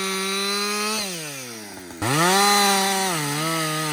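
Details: Husqvarna 562XP chainsaw after a shop software reflash for dying when hot and stumbling. Hot after its longest straight run: screams at full throttle, pitch sags steadily into the wood, then recovers cleanly with no stumbling. The owner says it is the best it has ever run. Normal running under load.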